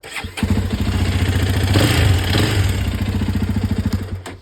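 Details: Hero Xpulse 210 single-cylinder with recurring engine noise, going back to service center; start-up settling into fast uneven putter with extra rattly ticking on top; engine noise, cause unclear.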